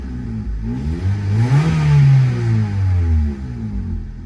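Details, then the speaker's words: Slammed Honda Civic (ES1/EM2) free rev: the engine blips up and falls back in one smooth sweep with a deep, throaty exhaust note and clean rev response. The owner likes the deeper note; the mid pipe is known to have a hole. "it sounds like a little deeper you know sweet well i like it pretty cute"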